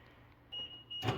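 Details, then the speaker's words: 1st-gen Toyota Sequoia rear hatch lock actuator, tested with white plug unplugged and black plug connected: two quick crisp motor clunks lock and unlock, no long beeping; actuator works normally. "And once you hear it, then you know your lock actuator is still good."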